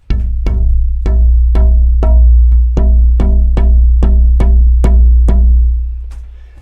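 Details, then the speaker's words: Tap test on a spruce guitar soundboard blank: about thirteen knuckle taps, each a short ringing note with a faint buzzy rattle from a split in the wood. "I usually hear them before I can see them but then if you can hear that rattle"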